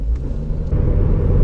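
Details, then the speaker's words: 2003-2013 Toyota Corolla while driving: constant low droning rumble getting louder around 35-40 mph, coming from driver side, louder turning left; ball joint already changed without fix; worn front wheel bearing growling. "I can hear that starring louder and louder when I'm hearing about 35-40 but let's go and drive more"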